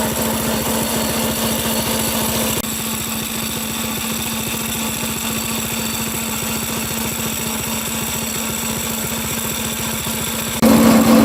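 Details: Homemade small-engine drift trike, still warming up: fast rough rattle with steady hum; chain loud though owner says it's fairly tight, suspects it needs graphite lube. Cause suspected, not confirmed.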